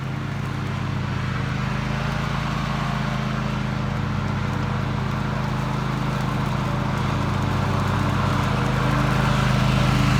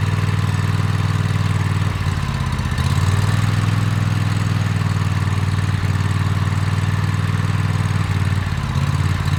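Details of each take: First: Toro TimeCutter MX 4200 zero-turn after ignition coil replacement, test cutting grass: strong even drone under load with no stumbles or misfires; runs and cuts great, though the owner wants to double-check a couple of things. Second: Toro TimeCutter MX 4200 V-twin mower idling rough, sagging and recovering every few seconds, hesitating while driving; fuel, plugs and filter replaced and valves adjusted, cause found to be failing ignition coils.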